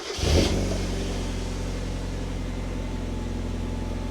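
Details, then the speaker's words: Mk1 Mazda MX-5 Miata start-up after fitting a custom 2.5-inch stainless Profusion catback with no center resonator and smaller back box: quick flare then deep steady idle with slight rasp; deep and pretty good. "pretty good. Just a little bit of rasp. Other than that, it's deep and pretty good."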